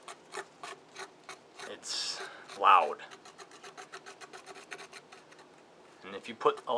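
Dry gritty rasping in uneven strokes as the loose pump is spun by hand, loudest when forced; worn pump bearings grinding.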